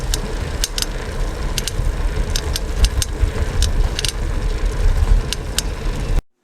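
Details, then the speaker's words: Bicycle while pedaling: sharp irregular ticks, roughly one or two a second, over a rough grinding rumble; the source, possibly at the saddle, crank, pedals or wheels, is not yet located. "4 소리가 경제 좀 불쾌한 소리가 나죠 틱틱 소음도 나는것 같고 뭔가 막 갈리는 소리 울까 나는 것 같기도 하고요"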